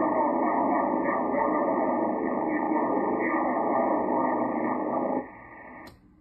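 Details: FLEX-6400 transmit audio with a steady raspy hiss and buzz; RF interference believed to come from the Icom 7300 USB data cable into the mic circuit, as the distortion stops when that cable is unplugged and the Icom is off.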